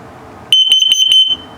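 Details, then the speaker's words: Carbon monoxide/LP detector in a 2022 Starcraft Autumn Ridge 19BH travel trailer during a walkthrough: four quick, piercing high beeps in under a second, the CO alarm pattern, meaning evacuate, leave the door open and shut off the gas. "I'll let you listen to it. ILP is good, carbon monoxide coming up."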